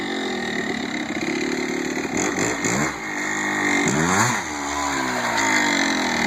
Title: 1987 Kawasaki KDX 200 First run after rebuild